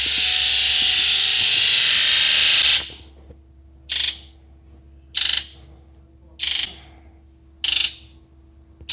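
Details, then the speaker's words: 1999 Ford 7.3 Powerstroke that was hard to start cold, loped, misfired and smoked black and white; dead misfire on cylinder three. Injector buzz test: steady buzz then short even bursts as each injector's ball and seat move, so IDM and wiring are working. "the buzz you're hearing is actually the valve the ball and seat inside of the injector moving up and down"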